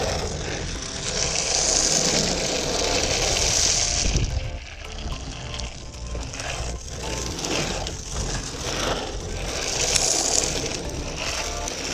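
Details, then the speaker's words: Skateboard (30.5" Prisma, C7 trucks, ABEC 7 bearings) rolling on pavement after fixing a squeaky truck; even gritty wheel roar with no chirp or squeak; trucks now ride quiet and smooth. "تمام، الصوت راح خالص، مبقاش فيه صوت الزقزقة."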